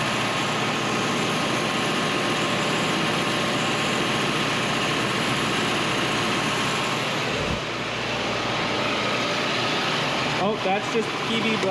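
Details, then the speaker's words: 1985 Nissan 720 rebuilt engine just after first start, idle screw turned up for high idle, oil pressure holding; steady smooth high-idle drone with no knocks or misses, running cleanly. "so i'm going to turn up the idle adjustment screw just so our idle is high i think that's healthier than anything"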